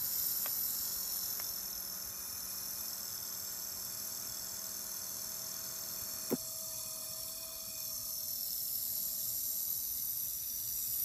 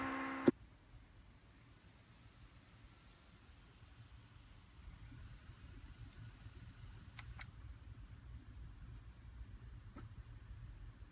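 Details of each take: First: HP x360 laptop fan after 10 months of use: hiss and thin steady hum with the blade seemingly hitting its metal case; fan error 90B appears at shutdown, and HP reflashed the BIOS. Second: HP x360 laptop fan after the fix: a faint, steady low hum with no scraping. The blade had been hitting the metal case and back cover, causing noise, so the case was wedged wider and three washers were added.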